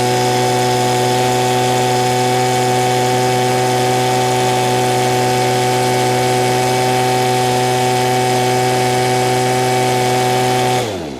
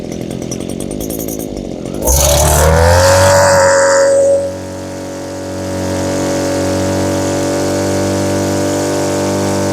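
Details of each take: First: Two-stroke with no throttle lock: a high, perfectly steady buzz holding one pitch without wavering for ten seconds, then cutting off; running very well, so left alone. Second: Small two-stroke (Stihl BG50 blower or Echo powerhead trimmer) after new fuel lines, ethanol-fuel water contamination: blips up then uneven burbling drone skipping beats, smoking too much; carburetor set too rich (four-stroking), to be leaned out.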